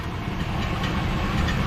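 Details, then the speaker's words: Chevy Silverado (2013 per the title, 2003 per the speech) with a customer complaint of a strange noise under the hood and an oil leak. A low idle rumble with a faint metallic rattle from underneath that follows the engine beat; it sounds like the flywheel catching the starter. "so uh can you hear that noise that sounds like the uh flywheel keeping a uh the starter the starter right there"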